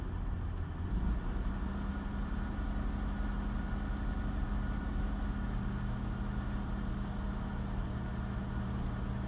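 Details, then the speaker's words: 1998 Holden Commodore Berlina VT after fuel pump replacement, first run after 5 years in storage, running a few minutes: steady, even low idle with no rattles, ticks or misses; smooth, healthy idle. "just to hear how good she still is even after five years of nothing so smooth now rattles no funky noises smooth idle life you"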